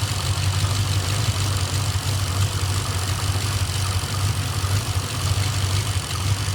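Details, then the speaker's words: Hartley-built Nissan VK56 V8 with eight individual throttle bodies in a 1971 Skyline 2000GTX, tuned, leaky header: deep even burble, no knocks or ticks; warm at 82–85 °C, thermo fans cycling, running happily. "It's between 85 and 82 degrees Celsius, so everything seems pretty happy."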